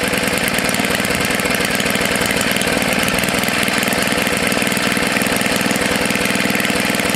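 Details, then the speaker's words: Tecumseh HS40 engine after cleaning the carburetor jet and setting it about a quarter turn out: fast, even buzzing putter holding constant speed without surging or dying; running steadily and healthy. "it doesn't want to shut off now yeah that's good so it's a good candidate for either the snapper snow blower or for the mini bike"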